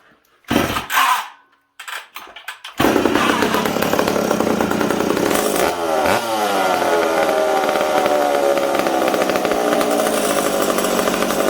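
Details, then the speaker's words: McCulloch Super Pro 70 chainsaw on the bench in warm shop (about 20°C): fires and runs with revs wandering up and down, never settling; suspected intake air leak, stumbled when intake boot sprayed, owner also suspects decompression valve leaking. "wow you guys hear how it's kind of all over the place i almost wonder if this peacock's leaking"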